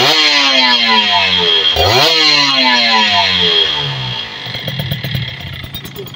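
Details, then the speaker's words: Kawasaki Ninja RR two-stroke after cleaning the power valve (superkip), servicing the dirty carburettor and the leaking carburettor vacuum membrane rubber: revs rise and fall crisply and evenly, no misfire or bogging, louder than before; power valve opens around 6,000 rpm. "Oke motor sudah lebih nyaring kayaknya suaranya ya Seti itu pergerakan dari superkipnya itu e dia membuka sekitar di 6.000 rpman ya"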